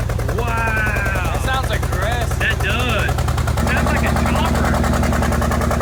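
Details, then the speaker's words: Rebuilt wrecked 2022 Mercedes G63 V8 with new Armytrix straight-pipe exhaust, valve probably closed, first start: a deep rumble with an uneven, chopping pulse about three beats a second. Runs rough. "this tank rning on two cylinders it sounds like it maybe like we need to change like spark books cuz it was rolled over or something so oil could have got into them but it just doesn't sound right"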